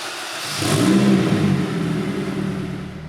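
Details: K-swapped Mazda RX7, first start of a used engine estimated at about 150k miles: catches, blips up briefly, then settles to a steady, even idle with no knocks or ticks; normal start and idle.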